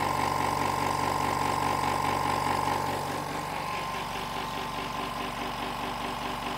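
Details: Hyundai SAC 55751 silent (59 dB) workshop compressor filling its tank normally, about 1 minute to reach the 8 bar maximum where it shuts off; smooth, steady soft mid-pitched hum, no knocks or rattles.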